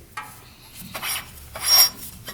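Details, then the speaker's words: 2014 Polaris RZR 800 UTV with a brand new clutch: short raspy scrapes about every three-quarters of a second as the spinning CVT clutch rubs into its cover, possibly not seated fully; this is the noise heard. "Oh, that's interesting. That's actually scraping on that cover. Maybe that's the sound we're hearing."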